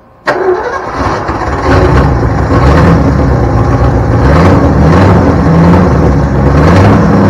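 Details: 1972 Ford Bronco 302 V8, first start in at least 20 years after confirming spark and supplying fuel: brief crank, then a steady, slightly lumpy low rumble that holds even; engine running normally.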